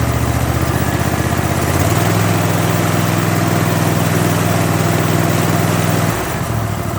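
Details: Kohler 7000 series engine on zero-turn mower, which surged at idle, mid and full speed, after carburetor rebuild with kit 25 757 27-S: steady even thrum with clean speed changes, no hunting; surging fixed.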